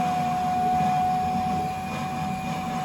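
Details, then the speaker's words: ICP air handler blower in attic, paired with a Burnham Alpine boiler on no-heat call, blower not staying on: steady, even high hum at one pitch over a soft rumble; suspected blower problem, later found dead blower motor. "Sounds like you got a blower issue here. So we also, listening to the customer's complaint, the blower is not staying on at the air handler in the attic."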